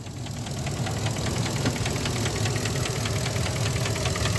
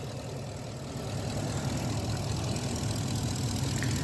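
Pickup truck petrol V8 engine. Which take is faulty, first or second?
first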